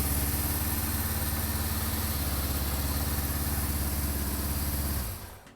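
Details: Warmed-up 1974 Honda CB550 four-cylinder before synchronization, with gauge readings all different: a slightly lumpy, uneven idle that ends in shutoff; the carbs pull unequally and need balancing.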